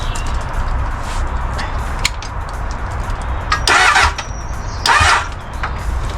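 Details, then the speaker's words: Crash-damaged Honda Hornet motorcycle, cranked after temporarily rewiring a broken ECU wire: starter churns steadily with a couple of louder bursts, but it never catches. Cranks but won't start. "all right so the missing wire here I plugged it in it sounds like it's going to fire but I don't know I think maybe that's what caus us"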